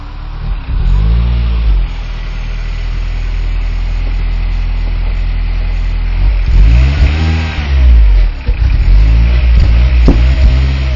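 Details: R56 Mini with big turbo fitted, after subframe work: steady deep idle with clean, even rev rises and smooth returns, no knocks or misses; normal idle, healthy.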